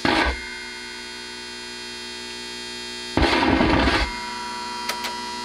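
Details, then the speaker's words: Newly built TrainWreck Liverpool tube amp, treble, mid and bass fully up: steady hum with bursts of harsh crackle and sharp pops, even untouched; builder suspects broken negative-feedback wire, loose wire possibly also causing buzz, humbucker pickup proximity adds some. "So, it almost seems like anytime I'm touching the chassis, I'm getting a lot of that popping noise."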